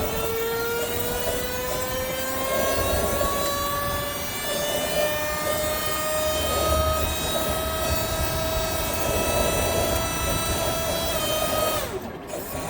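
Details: Hydraulic system dead-headed at full pressure after a valve was fitted for a screeching complaint: steady pump whine rising slightly in pitch then shutting off, no screech; hydraulics sound normal.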